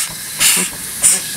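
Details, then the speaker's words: Overtype high-speed steam engine with top valve gear, run below full rpm because not on a solid base, boiler with coal and wood fire doors: soft even exhaust chuffs and hiss about every half second, no knocks; smooth normal running. "It's a pretty high-speed engine. We can't run it at full RPM right now because the engine is not on a solid base and we'll shake the chimney loose and a bunch of other things."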